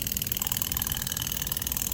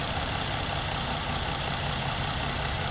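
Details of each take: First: EVAP canister purge valve commanded at 10% duty cycle via scanner actuator test at idle: quick, regular light ticking and popping, most exaggerated at 10%; circuitry passes, solenoid suspected mechanically failing/sticking, needs replacing. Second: Ford vehicle with a check engine light, idling with a brand-new Motorcraft EVAP canister purge valve commanded via scan tool actuator test: steady, even idle with faint rapid ticking. The new valve is quiet; the old one was suspected of hanging up.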